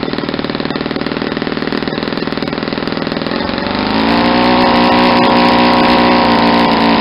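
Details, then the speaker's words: Saito 50 four-stroke model engine, first run after new ring and bearings, APC 11x7 prop, 10% Omega fuel, needle set very rich for run-in: lumpy blubbery popping about four beats a second, then smoother higher note; over-rich mixture. "because I got it's a really rich and you'll hear kind of blubbery"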